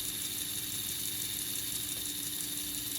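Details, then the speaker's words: AHM/Rivarossi 2-8-2 Mikado model locomotive, unrun for 15 years, after oiling and running in: steady high whir with no catching or labouring; the motor sounds healthy, slightly slower in forward. "Honestly, it sounds healthy. It doesn't sound like it's really struggling at all."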